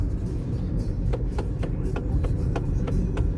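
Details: Hyundai i30 steering knock: sharp light knocks about four times a second over road rumble. The owner wonders if it's the steering rack; not confirmed.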